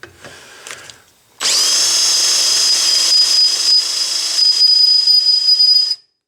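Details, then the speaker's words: Drill boring metal with a piercing high squeal, smoke and fine powder chips: the bit spins too fast with too little pressure and overheats; slow the bit down and apply more pressure. "hear that squeaking if it's squeaking you're doing the wrong thing it should never squeak like that"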